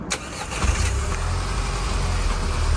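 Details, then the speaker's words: 2010 Volkswagen GTI at idle after replacing the leaking exhaust sleeve clamp at the rear muffler: smooth, even idle with a deep, quiet exhaust and no leak heard. "So much quieter. That's what it should sound like."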